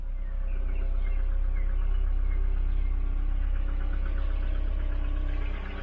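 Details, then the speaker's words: Volvo 940 Turbo B230 redblock after head gasket and water pump replacement, idling while bleeding cooling system; steady low idle with faint rapid tick about four per second; owner says it made this noise before, source unknown; abnormal idle noise. "noisy engine he was doing that noise before so i don't know what it is"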